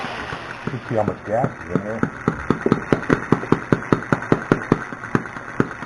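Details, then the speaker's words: Small hobby model engine being tried on an experimental pulse generator ignition (currently on points) labors with slow, uneven, strained popping a few times a second; ignition timing may be too early or too late, and the air mixture screw is possibly set too much. "like it's laboring. Might be a little too early or a little too late."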